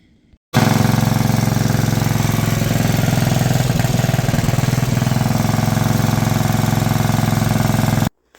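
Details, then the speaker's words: Craftsman lawn mower with swapped-in Briggs & Stratton 12 hp flathead single-cylinder: loud thump about three and a half beats per second, uneven with stumbling midway; still running rough, cause unknown. "so it's still running like garbage I don't know why it ran good then"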